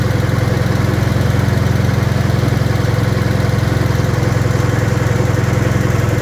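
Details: Wisconsin THD air-cooled twin on the bench, fitted with a flush head that tucks into the shroud; low, even thumping idle with steady rapid firing pulses, no knocks or misses; the head makes it quieter; normal idle.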